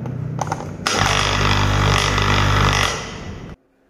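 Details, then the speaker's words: Air conditioner compressor previously stuck, after adding compressor oil and fitting a larger 50 µF capacitor: steady low mains hum starts, holds evenly a few seconds then cuts off; compressor now starts and runs normally. "Oke, aku bisa merasakannya mulai bekerja. Mari kita uji lagi. Ini mulai berputar,"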